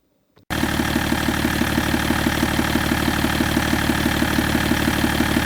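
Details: BMW 530d E61 M57D30 3.0 diesel after cylinder head gasket repair and timing chain replacement (a chain guide was found broken); first start after reassembly. Catches cleanly into steady, even idle, no knocking or chain rattle: healthy.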